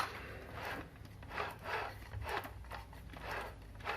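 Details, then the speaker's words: Logitech G29 steering wheel after disassembly and lubrication to fix a motor squeal: soft, even rubbing as the wheel is turned back and forth by hand, with no squeal left. "siete sicuri di non sentire più nessun fischio"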